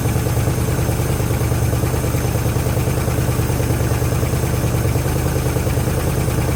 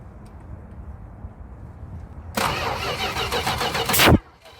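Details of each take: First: 1973 Chrysler Newport 400 V8 from a junkyard, running after fuel system hookup with fuel reaching the filter: a steady, even low rumble with no knocks, misses or stumbles; only a little smoke and oil pressure present. Normal idle. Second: 1973 Chrysler Newport 400 cu in V8 from junkyard, starting fluid sprayed in carburetor: under two seconds of fast cranking with ragged pops, dies without catching; no start because distributor firing order was set wrong.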